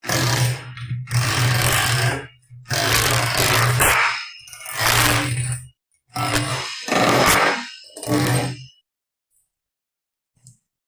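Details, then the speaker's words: Rotary hammer that spun but wouldn't hammer, tested after replacing the worn piston-chamber O-ring and greasing. About two-second bursts of steady motor hum with a fast, even rattling impact; it hammers properly again. "Did you hear that? Now it does hammer."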